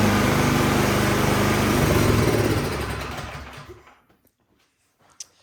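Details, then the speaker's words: 26-inch Troy-Bilt snow blower, gas and oil checked, choke and primer used: small engine runs briefly with even buzzing beat then dies within about four seconds off choke; runs only on full choke, carburetor fault, cleaning needed. "all right so that tells me something is going on in the carburetor because it's only running on full choke so let's pull it apart"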